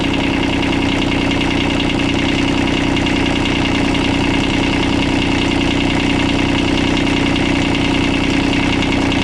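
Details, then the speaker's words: Kubota D905 diesel driving a welding generator, running at idle: steady diesel idle with an even metallic tapping about two or three times a second. Owner suspects a knock at the coupling between engine and generator; unconfirmed. "I don't know if you guys can hear it in the videos but it sounds like there is some sort of like a knocking or something metallic and it sounds like it's coming from the coupling between the engine and the generator"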